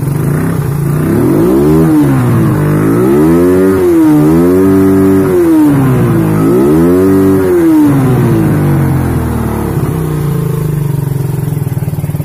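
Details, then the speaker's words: Suzuki Satria FU third-generation motorcycle running without a battery: revs swell and fall but never climb high, topping out early; attributed to the missing battery; revs will not rise on throttle. "Coba kita tarik gasnya ya. Yang jelas RPM nya ndak mau naik Kang Bro karena nggak ada akinya ini."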